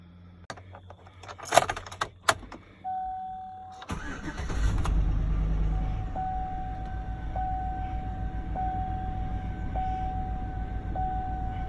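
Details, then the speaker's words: 2007 Chevy Tahoe V8, almost 200,000 miles, after replacing a misfiring spark plug: short crank catches quickly and settles into an even, steady idle, slightly better than before, check engine light off. "the check engine lights off it does seem to be idling a little bit better and it wasn't bad"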